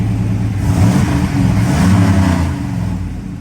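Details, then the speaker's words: Phoenix that previously would barely run, after coil work, still not right: gentle throttle blips with uneven lumpy note that never revs cleanly; poor running on revving, cause unknown, tune being sorted piece by piece. "I don't want to go too hard on it because I have no idea what's going on yet and I just start to sort through the tune piece by piece"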